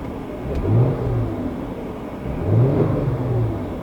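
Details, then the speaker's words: VW Passat V6 automatic after a Seafoam trans tune treatment: in Drive, revs flare and fall as the transmission slips without taking up drive, then clunks and catches; all gear indicator lights came on. "What I did while it's in drive and not catching, I kind of revved it up a little bit and you can hear it like slipping and then it just like clunks and catches, but now drive works like it's supposed to."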